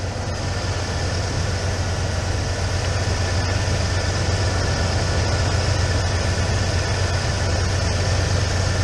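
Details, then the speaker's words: 1996 Ford F150, Mercury 5.0L V8, after throttle position sensor replacement: smooth, steady idle at about 950 rpm per gauge with no knocks or surges, still warming up and bleeding air from the cooling system; repair confirmed, normal idle. "This is a nice, like, 950 right now, according to the gauge. This is, like, perfect."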